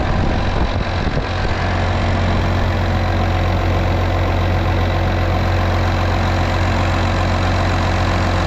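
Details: Case 305 diesel idling after a fuel filter change, pump primed six times: steady, even low chug with no misses or knocks after a brief start-up stumble. Engine sounds healthy.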